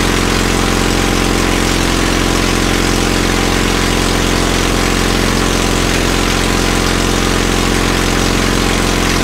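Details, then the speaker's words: Caterpillar D2 crawler idling after first start following pinion repairs and rebuilt carburetor in starting system refurb: steady, even chug around two hundred beats a minute, constant low drone, no misses or knocks; idling cleanly. "idle's like a champ see how that vibrates"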